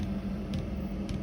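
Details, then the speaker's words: 2kW Chinese diesel heater fitted inside a VW T4 camper, running: low steady whir with a faint light dosing-pump tick about every half second; working fine. "I'll let you it run for a few minutes and then shut it down it all seems to be working fine inside now can just hear the pump"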